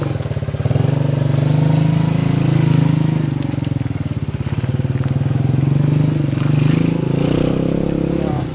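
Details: 1977 Honda CT 125 motorcycle being ridden, previous owner says it runs good: steady, even single-cylinder thump with gentle speed swells, no knocks or misfires; healthy engine running well.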